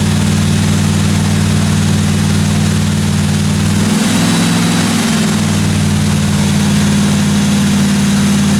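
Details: 1957 Chevy 210 project car during its first-run camshaft break-in of about 20 minutes: even, steady running with a constant low drone, a brief tone shift midway, no valve-train ticking; normal running.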